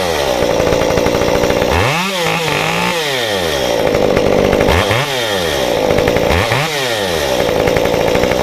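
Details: Modified Stihl 193T climbing saw (muffler mod, ~8–9° timing advance, limiters removed, 93 non-E fuel, 16-inch bar, PS3 .050 full-chisel chain) cutting a log: high revs bog briefly and recover three times as it bites; healthy under load.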